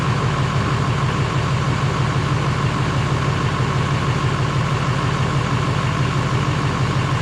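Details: GM LMM Duramax diesel truck after engine replacement, with new muffler: steady, even idle with deep smooth rumble, no knocks or misses; running healthy.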